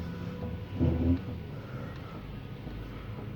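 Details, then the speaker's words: 2010 Mercedes C180 W204 after rear axle hub bearing replacement for rear-wheel humming/rubbing: low, even interior rumble with no hum or knocking, everything normal on test drive. "Evet Şu an araçta herhangi bir uğultu patırtı bir ses yok Her şey gayet normal"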